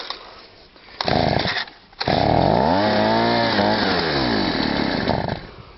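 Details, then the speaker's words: Stihl SH/BG 85 two-stroke leaf blower that pumped petrol through the exhaust, wouldn't start or rev, just restarted after a cold start: revs climb when blipped, then pitch sags and wavers as it bogs; loose choke linkage pulls the choke on under throttle. "Right, I don't know if you see that then, but what's happening is the choke linkage is loose. So when you rev it, it sucks it over on the choke."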